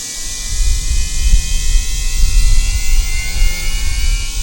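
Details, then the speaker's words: Losi Promoto MX RC motorcycle gyro flywheel switched on before riding on a hot day: high, steady whine climbing smoothly in pitch, loud but even with no rubbing; normal flywheel spin-up. "we're gonna turn on the flywheel I'm gonna let that spin up here right in there we go"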